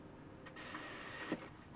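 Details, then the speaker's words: Pye radiogram from about 1952, record player section repaired: a quiet mechanical whirr, then one crisp clack as the changer trips off at the end of the record; normal autostop. "and it stops at the end as well that's great that that's pretty much uh how wor these should operate"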